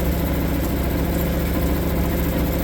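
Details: Suzuki DF 2.5 HP outboard, warm-started without choke in neutral after a no-start blamed on the low-oil sensor; short, even putter at idle with no stumbling or surging. Idles cleanly.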